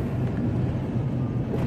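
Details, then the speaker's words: Minivan "Blue" while driving, after a tank of bad 93-octane gas, with exhaust smoke continuing: a rough, uneven, stumbling low rumble as it misfires heavily and won't accelerate; the owner now suspects a head gasket, but the cause is unconfirmed. "and right now it's not working again misfiring like crazy not accelerating and I'm thinking this is the end of blue"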